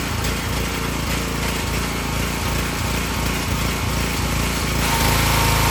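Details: Excell XR2500 pressure washer (DeVilBiss), 5 hp Honda engine, running after a bad spark plug was found as the cause of stalling after 15 seconds, not the carburetor. Steady, even drone with regular beat, no surging or dying off: normal running.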